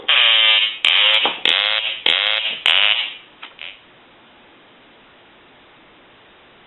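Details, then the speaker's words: Hand-painted wooden duck novelty telephone, quack ringer previously silent, rung after repair; five short buzzy nasal quack bursts about a second apart, stopping cleanly, ringer working properly again. "where he didn't have the quacking sound and so what we're going to do here is we're going to ring the duck"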